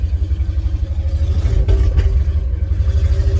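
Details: 1962 Ford F600 barn find, sat 30 years, rebuilt, still cold on choke; deep, throbbing low-pitched running with steady pulse and slight rev blip after a no-start traced to no gas; normal running.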